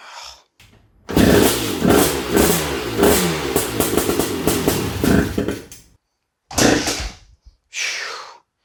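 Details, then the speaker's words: Honda TRX250R two-stroke ATV on 38:1 premix, kick-start attempt: catches into a few seconds of ragged popping then dies, with short bursts after; incorrect ignition timing, hard to start. "day two all right so this thing is obviously a beast to start it's nice that it at least kicked over and then we could hear it run for a second"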